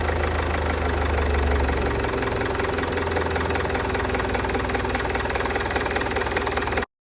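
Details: Range Rover Evoque after fuel filter change, airlock cleared by pressurising tank and bleeding at high-pressure pump connector: engine catches and settles into steady, even idle with low rumble, no misses; normal idle.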